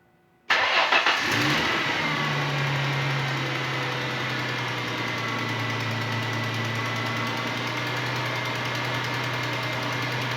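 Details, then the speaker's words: 2002 Ford Mustang V6, driver's-side exhaust manifold cracked (smoke-tested leak), cold start: cranks, catches, settles to steady idle with faint fast ticking that fades at operating temperature as metal expands and seals crack. "this mustang has the infamous startup tick and that tick goes away once the engine reaches operating temperature that's because the metal expands and feels that crack"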